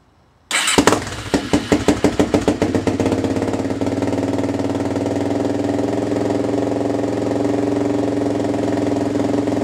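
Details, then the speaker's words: Suzuki LT-Z400 quad after rejetting to 170 main jet, needle on last (richest) setting, spark arrestor removed: cranks, catches with strong pops, settles to steady even idle, running better than before; minor exhaust leak at muffler slip joint. "Sounds good to me. I do have a minor exhaust leak right where the muffler slips on, but I think I'm gonna check that out right now, see if I can seal that up, and then yeah, seems like it's running a lot better than it was before, so I'm happy about that."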